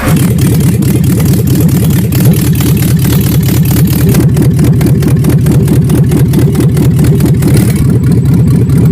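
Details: GMC fifth-generation 5.3 L V8 gasoline direct injection with a clogged muffler and exhaust and suspected lifter failure: the engine pulses unevenly about twice a second with a lumpy, stumbling beat instead of a smooth idle, misfiring.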